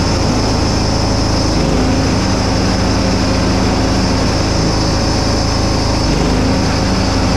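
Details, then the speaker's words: John Deere Hydro 175 mower after full restoration with new blades, started to test the PTO and deck: a steady, even engine drone at constant speed with no misses or knocks. Normal running; everything works. "Cool. Yeah, everything works."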